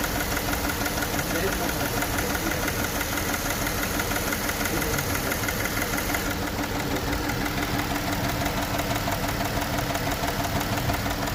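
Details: Jeep Wildtrak idling with an uneven beat and a light metallic rattle from the cylinder head; misfire diagnosis, part one.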